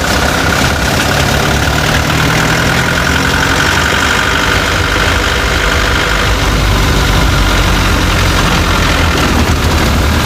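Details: Chevrolet Tavera diesel at idle: loud running with an irregular rattly knock through the low rumble; owner reports a khatpat knocking sound that 10 mechanics could not diagnose, source unknown.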